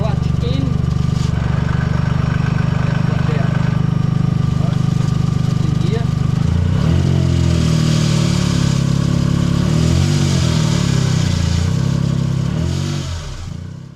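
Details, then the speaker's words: Suzuki Cappuccino whose clutch failed at a track day, recorded with a camera under the car, clutch let in and out in first; it smells bad. Steady idle, then the tone wobbles and chatters with each engagement. Failing clutch. "noticed a few things the clutch sounds awful and it smells horrible so I might stick a camera under the car car and just start it up and and let the clutch in and out and first so you can hear it"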